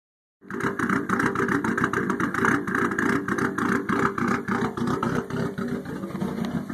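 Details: Nissan RB20DET petrol engine idling roughly: its beat stumbles and wavers instead of holding a steady rhythm.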